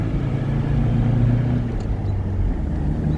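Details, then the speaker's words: 1989 Nissan D21 4x4 pickup, 4-cylinder, 96,000 miles, driving after coolant and oil top-off: smooth, even, quiet low rumble with steady road noise, no knocks or ticks; engine running normally. "Smooth, quiet."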